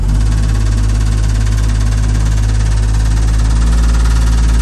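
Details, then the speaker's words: 1975 Jeep DJ5-D postal Jeep under load, reversing uphill: deep, heavy droning buzz with rough throb; a vibration, not mechanical knocking, seemingly not from engine; owner suspects vibrating muffler, unconfirmed. "No, it just sounded like a vibration. It did, didn't it? And it didn't sound like a mechanical knocking."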